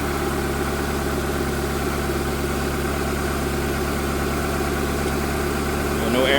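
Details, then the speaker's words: After cylinder head rebuild (new exhaust valves, reused head bolts torqued 22 ft-lb plus 260 degrees): smooth, even idle hum with no knocks or misses, no vibration, no air in cooling system; running well. "The camera's not even vibrating, you know. The camera's not moving. This thing is running extremely well."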